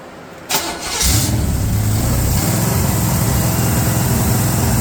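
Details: V8 on a Larin engine run stand with electric fuel pump: quick crank, catches at once, settles into even, steady idle with no knocks or misses; healthy start.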